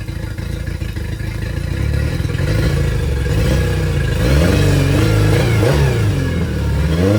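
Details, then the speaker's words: Yamaha T50TLRD 50 hp outboard after head decking and a fresh head gasket restored compression, revving up with a ragged, uneven beat under the drone; still missing on one cylinder. "all right guys well she's back to running seems to have a little bit of a miss or Uh something's acting up with her so we're going to do a little bit more investigating"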